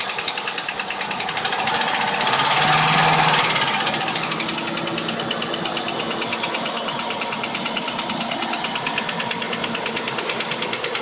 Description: vx ss 2000 commodore engine knock fixed after replacing lifters and worn camshaft.